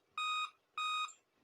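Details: Dell Inspiron P40F laptop at startup: clear, evenly spaced beeps about a third of a second each, repeating even after boot; 5-beep BIOS code for CMOS battery / real-time clock power failure, fixed by replacing CMOS battery.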